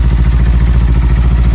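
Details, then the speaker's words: Kawasaki Ninja 300: quick regular ticking about eleven beats a second over steady idle; changes when the 10 mm tensioner bolt is loosened and stops when it is tightened; faulty cam chain tensioner. "इसका यह part खराब है चैन tension"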